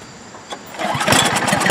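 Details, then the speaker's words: Snow blower small engine after a squirrel-chewed gas cap let water into the tank; tank, hoses and carburetor cleaned and new cap fitted: brief crank, then it catches and runs evenly with no stalling or surging. Running normally after repair. "That sounds a lot better, doesn't it? No more stalling, surging. I think we fixed it."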